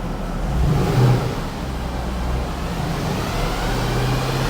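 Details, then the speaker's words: Mercedes W204 C63 AMG M156 V8 after cylinder head/camshaft-wear rebuild, warm at full operating temperature, revved to about 2,000 rpm: deep even burble rises smoothly and eases back, no tapping or stumble; healthy revving. "that's literally 2,000 RPM 22,000 and that's what you buy an m156 for proper AMG forget these new ones"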